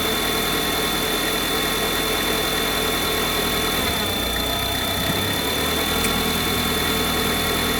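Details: Cold idle with a busy, fast hissy chatter high over a thin engine note; unusual noise at cold idle, cause unclear.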